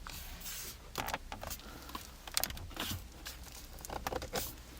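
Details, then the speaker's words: Kia K9 interior, centre console/gear box trim pressed by hand: irregular dry creaks and crackles from loose trim rubbing the panel, also heard when braking, cornering or over speed bumps. Interior trim squeak when pressed. "운행을 할 때 조금만 브레이크를 잡거나 아니면 코너를 누르거나 방지턱을 넘을 때 소리가 난다는 거죠"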